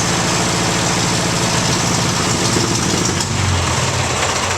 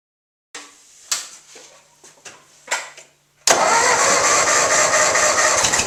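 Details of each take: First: 1958 Ford 841 Powermaster tractor after the failed water pump causing a severe scraping rattle was replaced: engine runs steady and even at idle with a low drone and exhaust beat, no rattle left; normal running. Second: A severe scraping rattle in the front of the 1958 Ford 841 Powermaster tractor turned out to be a failed water pump.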